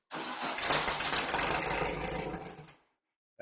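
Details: Super Baja (VW bug) that likely took in water and won't start; the carb bowl was filled, with no carb cleaner or starting fluid, and throttle worked while cranking. About two and a half seconds of steady starter churning that never catches; cranks but won't fire.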